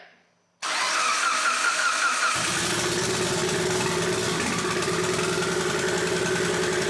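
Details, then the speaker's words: Rebuilt Mitsubishi Evo 8, first startup after reassembly, battery not charged: engine catches after short crank, then runs ragged and won't idle, sounds bad; no leaks, cause unclear. "Alright guys, first official startup. Doesn't obviously idle right away. Yeah, it sounds like crap."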